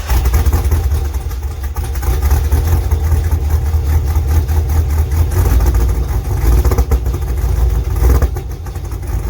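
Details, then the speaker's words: LS2-swapped third-gen Camaro, after an oil change revealed a knock: deep steady V8 idle with an even beat; the knocking is gone. "do sounds good [Music] that knocking is gone"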